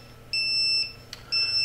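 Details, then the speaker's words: MSA Altair 4 gas detector: two loud, shrill electronic beeps, about half a second each, because the electric sampling pump's airflow is blocked; pressing the button resets it, and a longer block makes the pump labor and alarm again. "you hear that beeping that means we've blocked the airflow we push the button again to reset it"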